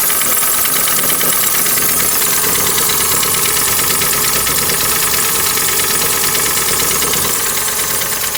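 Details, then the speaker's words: 2012 Hyundai ix35, G4NA engine, 127,000 km, burning oil, check-engine light on: hard, diesel-like metallic knock over the idle throughout; heavy internal engine knock, engine to be removed and torn down to find the cause. "Ну, думаю, прекрасно слышно, что стучит сильно."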